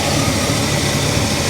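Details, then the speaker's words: 1968 Pontiac Tempest Custom after cleaning the carburetor, start spat and blew the gasket; then steady even idle with smooth low rumble, no misses, surges or knocks, carburetor sounding better. Normal idle. "Oh yeah. Oh yeah. This carburetor sounds a little bit better."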